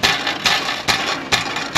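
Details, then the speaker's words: Exhaust with rusted-out heat shield band, shield shaken by hand: sharp tinny metallic rattles in bursts about twice a second; customer reports intermittent rattle at idle and driving; loose heat shield. "causes this heat shield to rattle so what we're gonna use to fix that i'll show you in a little sec but here's another band that's all messed up"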